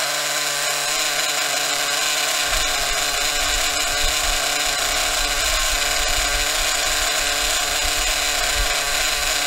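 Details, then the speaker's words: Maxy's Cinco 2.0 nitro RC engine on break-in stand with Bones break-in fuel, around 280 degrees; idle bumped up slightly, high even buzzing idle without stumbles, normal. "i like to bump up the idle a little bit to help it let me do it from this side the way my arm ain't in the way so bump the idle up a little bit good to go"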